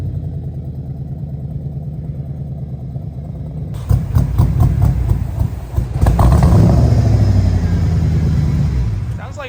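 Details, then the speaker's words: Mustang with 5.4L Lightning V8 swap, sat for a while, running on battery power with failed alternator: short crank, then lumpy running with puffing tick in exhaust beat; definite exhaust leaks, possibly down a cylinder or two, plugs unchecked; exhaust manifold leak with rough running. "she might be down a cylinder maybe well or two I don't know it definitely got an exhaust leak yeah it's got exhaust leaks"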